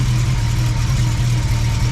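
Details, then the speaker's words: BMW E30 six-cylinder after head rebuild with new stainless valves and rocker shafts; header had been knocking against something when the engine rocked. Now a steady, even idle burble with no knocking or rattle: normal idle. "geometry is always going to be the same because the engine mounts bounded to the block see now it sounds fine"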